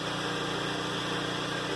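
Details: Newly installed Flotec shallow well jet pump powered by a generator: steady even motor hum with constant water rush, no rattles or surging, generator droning underneath; pump sounds healthy building pressure.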